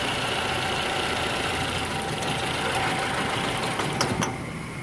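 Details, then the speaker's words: Toyota Camry (2010–2022 generation) petrol engine idling roughly with an uneven, stumbling beat; plugs and coils checked, two rear cylinders not firing, causing misfire, shaking and power loss; car also reported burning oil. "है ना तो ये दो पलक सही कम कर रहे हैं ये दो वाल इसके पीछे वाले यानी की मिसिंग कर रहे हैं ठीक है"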